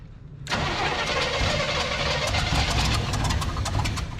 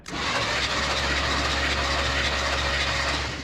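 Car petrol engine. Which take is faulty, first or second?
first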